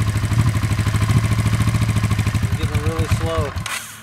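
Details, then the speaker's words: 1986 Honda Shadow VT500 V-twin, water-cooled, 27,000 miles, cold start with choke on: uneven lumpy idle falters and the engine dies; stalls when cold, owner says it needs about 5 minutes of warm-up before throttle. "and it just wants to die now I'm going to let it warm up here for about 5 minutes or so and then we'll see what [Music] happens yep see there it dies again"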